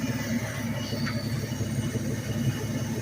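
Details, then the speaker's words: 1984/89 Ford F-150 with about 323,000 miles, no air cleaner and some vacuum leaks, warm after hard running: lumpy idle with rapid uneven ticking puff; exhaust leak at the head from a missing, loose manifold nut. "it's got a huge exhaust leak over there coming off the head Bland missing the nut it's loose"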